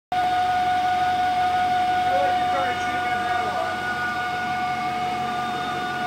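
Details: BMW 540i V8 idling with a vacuum leak that appeared after the valley pan was replaced; steady high whistle over a quiet idle.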